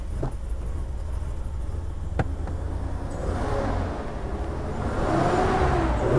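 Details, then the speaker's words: 2003 Hyundai Terracan V6 petrol with the engine visibly shaking. The idle is uneven and lumpy with an irregular stumble, a constant misfire present at idle and when revving. One cylinder is suspected but not yet identified. "the car is misfiring and it's shaking uh looks like one cylinder misfire it's a constant misfire"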